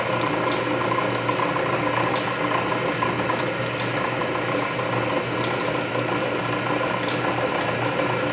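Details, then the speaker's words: Canedy Otto drill press at low speed in back gear drilling a large hole under power feed; main drive belt slightly loose but masked by gear reduction torque; steady low gear hum with light regular feed ticking — normal. "it works well enough especially at low speed there's so much torque from the gear reduction that you don't really notice the slippery drive belt"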